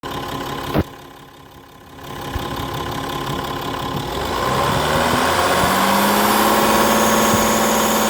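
Diesel idle settling in with a regular light tick, roughly four per second, over the steady hum; unusual noise, source not pinned down. Cause suspected, not confirmed.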